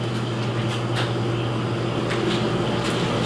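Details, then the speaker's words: Beverage-Air UR30GE commercial refrigerator compressor after replacing the capacitor, test run: constant low hum with slight vibration and no repeated clicking from failed start attempts; running normally and cooling. "it I'm not hearing that click no it's not clicking anymore"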